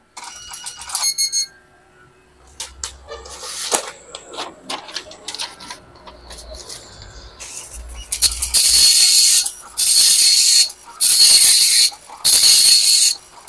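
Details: Epson LQ-2190 dot matrix printer after repair, formerly beeping alarm with no movement: short even bursts of dense high buzzing line after line with clean gaps; head firing and carriage tracking normally, print result good.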